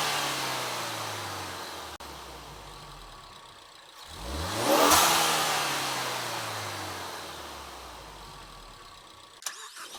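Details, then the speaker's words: 2017 Ford Focus ST turbo after fitting a Green Filter performance air filter in the stock airbox: it idles, then revs rise smoothly to a peak and fall away with a soft bypass-valve whoosh as pressure releases on lift-off; a healthy turbo intake. "So with the intake installed, you can hear quite a bit of difference. The intake, you can actually hear kind of the bypass valve, a little bit of that whoosh noise as you let off of the gas and the pressure gets released."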